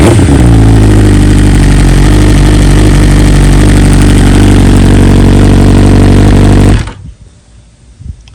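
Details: 2020 BMW S1000RR true cold start next day after two coils replaced under warranty, stock software 2200820, no flash: catches at once, steady even high idle with smooth firing beat about seven seconds, then shuts off; owner says stock cold start kind of sucks; normal.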